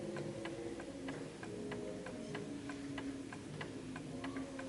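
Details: Garrard 1930s Art Deco oak mantel clock with an 8-day pendulum movement and gong strike, pendulum just adjusted for its surface: crisp, evenly spaced ticks about three a second in a quiet room, no limping rhythm; the clock is in beat.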